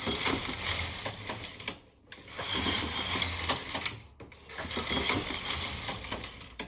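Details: Empisal Knitmaster 550/560/580 / Silver Reed SK-840 knitting Fair Isle with a Mylar sheet: bright, rapid clicking rattle on each carriage pass with brief quiet pauses between passes; the machine is running normally.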